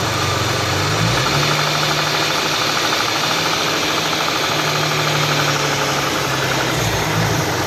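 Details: Hyundai V6: busy idle with a fast metallic rattle riding over the engine through a brief rev; a knock-type noise, cause not pinned down.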